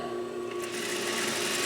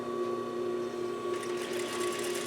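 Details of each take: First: 2001 Juki DDL-8300N industrial sewing machine (5500 spm), speed control first set too low: thin even whirring hum with fine rapid rattle at a gentle pace, running too slow before being bumped up. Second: 2001 Juki DDL-8300N industrial sewing machine (5500 spm) after speed-control adjustment for slower acceleration, running at full speed: fast even stitching hum with steady high tick, no catching or knocking; normal smooth running.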